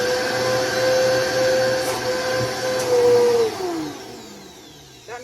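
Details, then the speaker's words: Vacuum cleaner running: a strained high whistle over the motor hum, then dropping as it winds down, because the hose is clogged and nothing is picked up; fix by unplugging, removing the hose and clearing it with a broom handle. "means that the vacuum has like a clogged up hose and it's not picking up anything."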